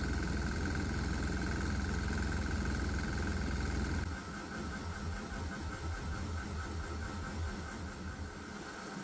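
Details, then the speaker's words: 196cc 3hp single-cylinder governed diesel running on propane plus vaporized water, with the governor cutting back diesel: a steady chug of about 214 beats a minute with a hard knock on every firing. The combustion knock persists; the water vapor doesn't help. "Now, the combination of the propane and the vaporized water seem to have an effect, but the knocking sound is still persistent."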